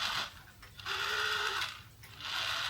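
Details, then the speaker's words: Cheap Chinese crystal-controlled quartz wall clock movement, reassembled and running, second hand turned by hand: short bursts of thin high whir as the tiny motor spins very fast; normal motor spin. "you can hear the motor spinning very fast."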